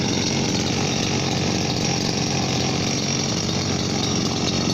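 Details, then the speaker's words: Chinese RBC411 two-stroke brush cutter, about 8 years old, always run on correctly mixed fuel; the owner wanted a rebuild that was judged unnecessary. At idle a steady, even buzz with a slight fan noise, no knock or grind: normal idle. The gearhead whines later when revved. "นี่รอบเดินเบานะก็มีเสียงพัดดังนิดๆแต่ไม่มากครับ"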